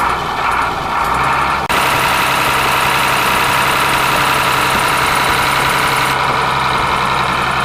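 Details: Ashok Leyland bus diesel engine idling after cold start following many years unused: steady even clatter at a settled idle, no knocks, misses or surging; normal idle.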